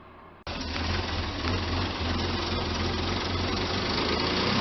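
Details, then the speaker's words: 1999 Ford Explorer 4.0 V6 idling a little unevenly with a faint airy hiss. It surges especially when cold and has P0174 bank 2 lean plus misfire codes P0302/P0306. Leaking upper/lower intake plenum O-ring gaskets are the likely cause. "It has a problem surging, especially when cold. So I'm going to look into that. It's likely the intake plenum gaskets, the O-rings around it."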